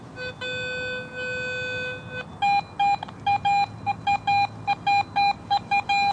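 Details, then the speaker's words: Garrett AT Pro metal detector in Pro Mode: long low tones break into crisp repeated mid-pitched beeps standing apart from iron trash grunts; a quarter reading around 85 clearly picked out among iron trash. "I'm getting iron trash readings all around that, but that quarter, you can really pick it out and it stands out."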